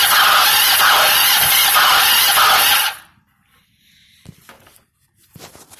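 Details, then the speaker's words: 1996 Kawasaki Ninja EX500 after head gasket and inner water pump cover replacement and retimed (timing unsure): harsh high scraping grind for about three seconds while cranking that stops it turning over fully; no firing; cause unknown, owner doubts starter. "it sounds like I want to start but it's a scraping noise that like stops it from trying to turn all the way over fully"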